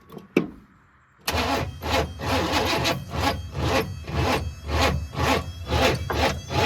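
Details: Project car, distributor just installed, carburetor fuel uncertain, timing too advanced: starter cranks in an uneven rhythm, about two turns a second, for several seconds and never catches; crank no start, timing needs fixing.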